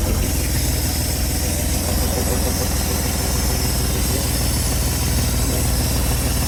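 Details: 1970 Chevrolet C-10 junkyard truck, fuel line pulled off the fuel pump and run straight in from a freshly filled tank, before the vacuum leaks were fixed. Low rumbling idle with a ragged, uneven beat; keeps running but is not firing cleanly.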